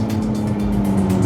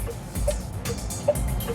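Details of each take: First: Electric car on a test drive, either the Zeekr 009 or the Leapmotor C10, creeping below 40 km/h: a loud, steady, low synthetic hum from the speaker under the hood. The pedestrian warning sound is too loud; a pending OTA update had not been applied to this car. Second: EV on a test drive: soft, even tick-tock turn signal click with a light pip, about 150 per minute, over road hum; normal indicator sound.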